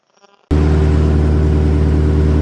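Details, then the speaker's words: 1997 Toyota 4Runner after replacing the cam sensor for a crank-no-start, battery reconnected and code erased; engine catches at once and holds a high, steady fast idle with deep even rumble, no misfire; normal cold fast idle. "It's accelerating. That's because it's cold."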